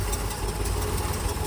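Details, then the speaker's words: 1969 Chevy C30 one-ton oil-field rescue, exhaust welded up, idling: uneven chuffing pulses coughing back through the carburetor; suspected stuck intake valve from bent pushrod or out-of-adjustment lifter, valve cover to be pulled next. "So, we got a stuck intake valve somewhere. It's caused the back fire to the carburetor. So, either a bent push rod out of adjustment lifter or something."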